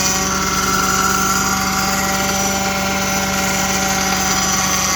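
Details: Audi 3.2 right after cold start: steady idle with a constant high-pitched whine over the engine note; source not pinned down.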